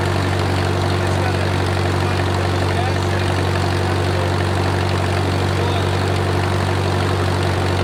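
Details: Wartime H tractor, last run around the 80s or 90s, at full operating temperature: a smooth, even low rumble with a steady beat, no knocks or misses and great oil pressure; a normal warm idle.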